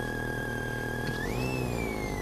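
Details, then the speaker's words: Thin whistle through the car speakers, even at zero volume, jumping in pitch with throttle and then falling back; interference. "И вот классный звук такой [музыка] появляется при нажатии педальки газа тональность меняется в такт нажатию педали"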